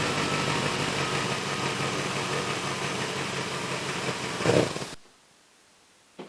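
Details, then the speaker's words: BMW E31 840ci with M62 V8 after manual transmission swap and new 2.5-inch exhaust (cats, X-pipe, resonators, muffler): deep, even burble with steady beat and short blip before shutoff, no knocks or misses; came out great, normal idle. "So, that's it. Uh came out great, sounds great."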